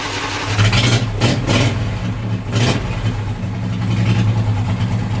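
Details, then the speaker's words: Briggs & Stratton V-twin on hot-rod tractor, first start in about three weeks after starter gear repair, choke on: strong even cranking with no grinding, spins over cleanly; starter sounds much better but engine not pulling fuel yet. "that starter sounds so much better oh she's not pulling fuel she might be out of fuel"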